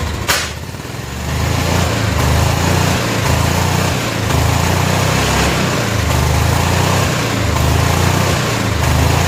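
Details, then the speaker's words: Barn-find 1988 Club Car golf cart, 8.5 hp Kawasaki engine, first run: settles into a steady, slightly uneven low putter after startup; runs on its own and sounds good. "all right well a success it's got to be a success because it runs that it sounds good now we just got a lot of other stuff to sort out"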